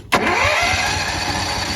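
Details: Honda EB11000 generator on propane from a 20 lb tank, after solving a flow-restricting tank connector starting problem: sharp crank catch, then settles straight into an even, steady run without stumbling; starts and runs normally.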